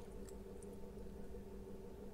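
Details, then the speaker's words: Atomberg Renesa Plus 1400mm BLDC ceiling fan, which kept restarting and vibrated, after circuit board replacement, running at speed 2: quiet steady low hum, no wobble, rattle or stalling; running smoothly, normal. "की motor में कोई भी बेसन भी नहीं है और motor बिलकुल स्मूद उम्र है पर बंद नहीं हो रहा है"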